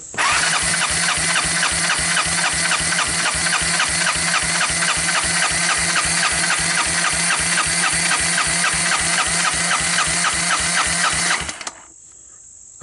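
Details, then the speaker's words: 1988 Honda TRX200SX that sat abandoned for years, cranked with the carburetor removed: even, strong cranking pulses about four a second; dry compression about 100, good compression. "it sounds like it has some compression uh it's not wearing a carburetor"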